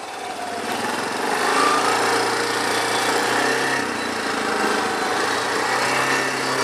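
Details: Machine bought at a yard sale, with automatic transmission, ridden outdoors: small single-cylinder engine runs steady and even, pitch rising and falling smoothly with throttle, no knocks or misses; found not actually broken, normal running.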